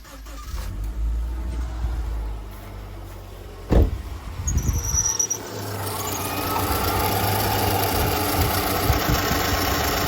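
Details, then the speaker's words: Subaru EJ25 (neighbor's car, reported coolant leak, pressure test holding): engine cranks, catches, then idles with a light quick tapping, suspected bad timing belt tensioner, which can sound like bad rod bearings. "yes, timing tensioners sound like bad rod bearings. I've actually changed a motor because it was knocking and changed over all the timing components and the new motor was knocking. Yeah, it was a bad tensioner and I changed a motor."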